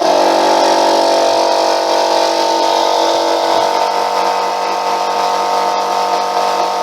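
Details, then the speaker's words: Free air compressor, reassembled, previously unable to exceed 30 psi, now up to and holding pressure: steady motor drone with an even pumping pulse of about four per second and no knocking; normal running. "it so that all works now don't forget it wouldn't go above 30 psi when i got it so that's just sitting there now"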